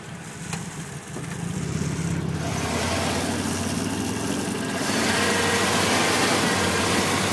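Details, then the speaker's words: 1994 Ford E-150 351 V8 van, already new cap, rotor, PCM, ignition module, plugs, wires; stutters at idle, worse under load, runs hot. AC switched on: uneven loping idle gets rougher, labouring, misfire-type stumble; cracked fuel vapor hose suspected vacuum leak. "conditioner you hear that really almost completely useless with the air conditioner"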